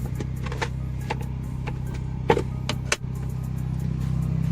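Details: Maruti Alto K10 AC blower fan, sudden noise: low steady drone with irregular light ticking and rattles about every half second, like debris in the blower; cabin filter missing, owner plans to fit one — noisy AC blower fan.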